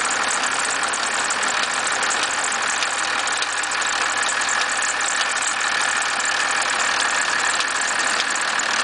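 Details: 1991.5 First Gen Cummins 12-valve diesel at cold idle, about -10, with slight squealing: a loose, uneven rattle and knock about three per second over the clatter. The source is not pinned down.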